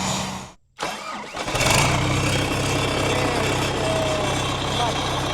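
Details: Irrigation pivot engine, exhaust straight out the turbo with no muffler: brief crank, catches at once, loud steady run with raw exhaust bark; normal start and idle.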